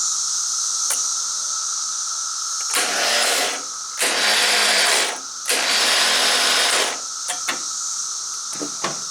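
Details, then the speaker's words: Woods 6180 zero-turn mower, 18 hp Briggs & Stratton Vanguard, throttle on slow, old battery on charger: short bursts of high free-spinning starter whir with no cranking; the starter spins but does not engage the flywheel. Owner suspects a weak battery and was told the starter is going bad. "Don't think my battery's got enough juice to crank her over. She's spinning the starter, but the starter's not engaging."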